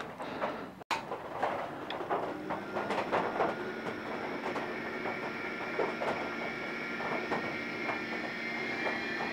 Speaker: goes a lot quieter which is good and that's the sound you should hear and we're off and running